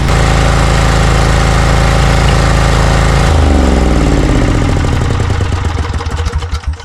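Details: Briggs & Stratton Vanguard 20 HP V-twin on a zero-turn mower, losing power when hot; lumpy, uneven beat, and pulling one plug wire makes it sag and stall, confirming a misfire with only one cylinder firing.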